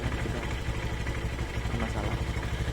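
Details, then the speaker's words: Honda Scoopy scooter after 5 years of use, idling with original exhaust: a steady low putter with a light buzzy clatter from a loose body panel, not the engine. "Suara panel bukan suara mesinnya."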